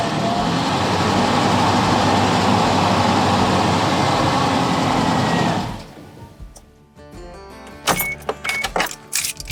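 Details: Geo Tracker tow car idling badly after off-roading, EGR tube removed, battery reconnected: engine runs steadily about six seconds then dies at idle, leaving only clicks; stalling persists, EGR not the cause, cause unknown.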